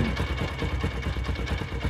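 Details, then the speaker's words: Honda CD70 motorcycle after fixing a worn bush: even single-cylinder thump, about eight beats a second, steady and clean, the dug-dug knock now gone; healthy idle after repair. "आपने पहले में आपको आवाज सुनाई दे ग आवाज अब वो आवाज बंद हो चकी"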